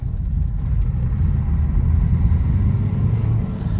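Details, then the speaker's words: 2013 Nissan Qashqai 1.5 dCi turbo diesel accelerating on a test drive; a deep, even pull with good turbo boost and no whistle, flutter or knock, so the acceleration is normal. "Yeah, so good boost from the turbo. Nothing jumping out straight away this won't cause any concern."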